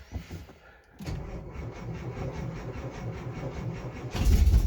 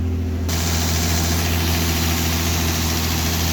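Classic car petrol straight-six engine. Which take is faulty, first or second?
first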